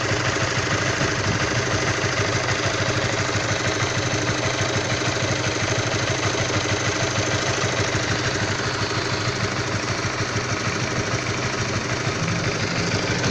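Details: All-new Honda CB150R motorcycle, fully stock AHM, cold idle: rough uneven knock ticking about three times a second over the single-cylinder idle; a clear fault, source not pinned down.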